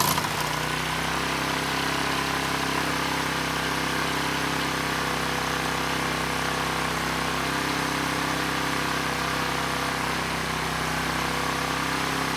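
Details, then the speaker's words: ETQ 2700-watt generator with brushless powerhead, after carburetor work keeping the original jetting: smooth, steady drone with no surging but pitched too high, 70 Hz with no load; engine overspeed from misadjusted governor. "the good news is it's no longer surging the engines running really well and actually a little bit too good it was at 70 hertz without a load"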